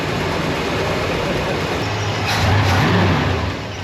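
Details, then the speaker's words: Chevelle V8 after setting the electric choke: steady, even rumble with no stumble or hunting as it settles back from the choke's higher idle to full normal idle. Normal idle. "See, now it has returned to full idle and it has spring pressure on the opening side."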